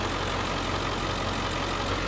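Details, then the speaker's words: 2003 Ford Excursion Limited, 7.3 Power Stroke diesel: steady, even diesel clatter at idle with no stumble or missed beats; healthy, smooth-running diesel. "just a nice clean rig a lot of power if you already know these engines uh it's you know seven three so uh they're just tried and proven bulletproof"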